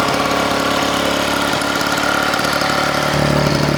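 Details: Vintage Victa two-stroke mower that leaked fuel, was dirty and had blunt blades, on its first run: a raspy buzz holding steady speed with a faint rise near the end, no misses or knocks; runs fine.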